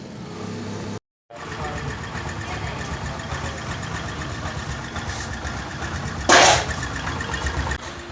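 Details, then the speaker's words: Motorcycle (Bajaj Discover per tags) after half-engine rebuild with piston, gudgeon pin, gasket and head refitted: catches quickly, blips once, settles into steady even single-cylinder idle with no knock or rattle; healthy. "अब दोस्तों आप comment करके बताएं कि इस गाड़ी के engine का साउंड है वो कैसा है, कितना बेहतरीन है या फिर बेकार है। ठीक है, और आप एक मैकेनिक है तो आप समझ गए होंगे कितना बढ़िया साउंड है, गजब साउंड है।"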